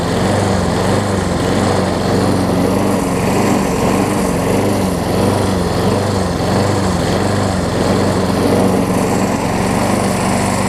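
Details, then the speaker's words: Craftsman self-propelled push mower, after new flywheel key and carb, started with starter fluid, runs loud with a slow rise-and-fall surge about every second; owner suspects a stuck float or partially clogged jet, unconfirmed. "So, it almost sounds like the float's gotten stuck on it, unfortunately."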